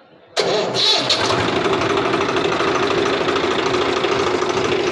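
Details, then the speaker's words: Swaraj FE tractor diesel after tappet (valve clearance) setting, loose tappet being the cause of earlier tar-tar ticking; starts promptly into an even, steady clatter with no ticking standing out; firing changed, runs healthy. "देख सकते हैं दोस्तों इसका पूरा firing change हो गया मैंने तो उसकी आवाज़ थी जो पहले उसमें टर-टर की आवाज़ थी ना वो बिल्कुल गायब"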